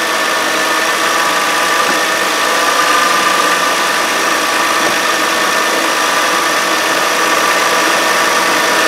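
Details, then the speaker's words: 2013 Kia Sorento AWD, 3.5L V6, just under 80,000 miles, idling with the sound heard close at the idler pulley: coarse, gritty groan with a faint whine; worn idler pulley bearing. "That's the idler pulley. Now, I'm going to crank the car up and touch that bolt from up top here. And I want you to hear the sound."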